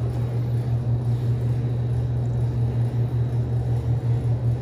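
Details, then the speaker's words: ATOSA two-door reach-in refrigerator, previously wired to 240 V via a regular three-prong extension cord: compressor and fans now running, constant low hum with soft fan whir; running doesn't prove refrigerant charge. "okay everybody's running it doesn't mean it's got gas"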